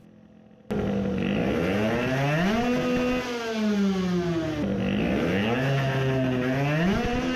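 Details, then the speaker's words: Two-stroke moped (2021 build, self-cast cylinder, 20 hp goal) tested with fuel line shut to check richness: revved maybe a bit better but revs sweep ragged and uneven near the top, misfiring badly at high rpm. "it reved maybe a bit better but it is misfiring badly"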